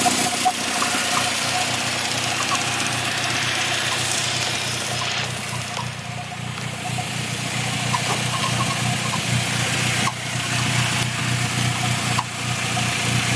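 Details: Steady idle with a light, quick chirp three to four times a second, appearing after 10+ minutes of driving; once stopped by pressing the clutch, now constant and louder; owner suspected throwout bearing, unconfirmed.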